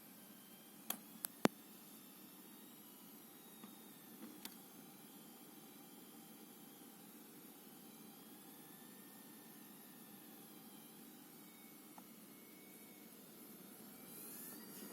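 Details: ASUS Dual RTX 2060 SUPER EVO OC during a GPU-Z test: faint thin high coil whine from the chokes, drifting up and down in pitch over soft fan hiss, with a few mouse clicks.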